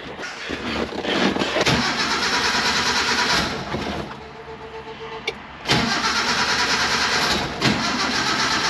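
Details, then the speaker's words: Mini truck that has been sitting, runs rich and rough, spark plugs suspected, cranked in the shop: the starter grinds in uneven bursts and the engine never catches. The battery may not last. "oh oh she's been sitting for a while the battery might not last ah we're so close i don't know about this one guys"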